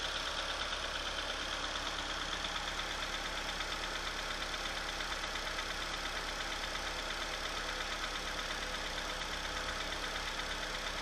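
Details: Opel/Chevrolet Astra engine at cold start, idling with a fast, fairly regular light tapping about three per second over a bright mechanical clatter; strange cold-start noise, cause unclear.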